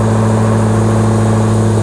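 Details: Hellcat 6.2L supercharged HEMI V8, after parts were swapped to cut drone: deep loud steady cold idle, even beat, no knocks or misses; still loud but not droney, gets quieter as valves open.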